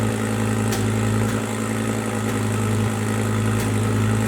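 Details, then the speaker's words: Cheap Lamborghini Gallardo, coolant warming, idling high: steady deep idle with occasional sharp exhaust pops about every second; crackling at idle, owner suspects running very rich (strong gas smell) or recently changed O2 sensors. "but I have heard a little bit of crackling out of the exhaust at idle. Now, crackling out of the exhaust is good on an overrun or something where you're pushing the car, but at idle you shouldn't be hearing anything like that."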